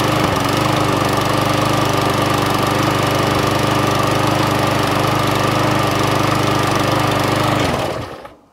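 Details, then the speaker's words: Murray MP 450 lawn mower with flathead Briggs engine, run on homemade ethanol-free fuel; steady, even small-engine drone for about eight seconds, then a clean shutdown, running fine, needing only a service. "actually runs so that one a bit of a service"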